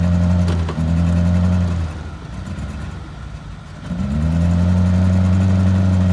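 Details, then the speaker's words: Small carbureted vehicle kept running on starting fluid sprayed into the carburetor horn, with white smoke: steady low idle sags and nearly dies for about two seconds, then recovers; engine running rough and stumbling. "me it ain't happy it is not happy"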